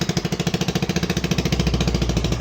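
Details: AXXO Viper 180cc scooter at idle, exhaust: loud, sharp exhaust puffs about eleven a second, louder when revved, from a blown exhaust gasket at the cylinder head.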